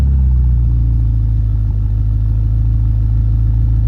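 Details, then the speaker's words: BMW X5M V8 at idle after the exhaust flap modification, heard from inside with the door open; deep even rumble with steady low beat, no rattle or clatter; normal exhaust idle. "So yeah, it sounds better. Sounds like it should. And again, it's a lot deeper sound and no rattling."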